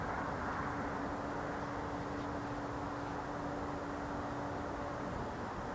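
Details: Steady, distant drone with one fixed humming tone, like something idling or whistling nonstop all night during freezing cold nights; owner says it is not a generator; source unidentified.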